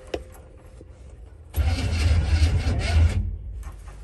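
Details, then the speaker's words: 1961 Chevrolet Impala barn find after 28 years sitting, first crank attempt: quiet, then steady low churning crank about four beats a second for under two seconds; engine turns over freely, not seized. "it's not frozen it's not frozen"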